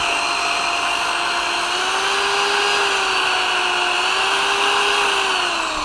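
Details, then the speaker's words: Bosch corded drill after repair (new brushes, cleaned motor housing, replaced faulty power cable): runs at steady speed with clean even motor whine, no grinding or rattling; earlier strange noise, low speed and intermittent stopping fixed. "este taladro Ya está listo para nuevas batallas"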